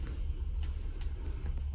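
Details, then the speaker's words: Electric water heater after replacing the burnt-out, split upper element and reassembling the elements and thermostats, tank refilled and breaker switched on; listening at the tank side, a steady low rumble as it heats: normal element heating. "Last but not least, let's fire the breaker up and listen to the side of that to see if we can hear it"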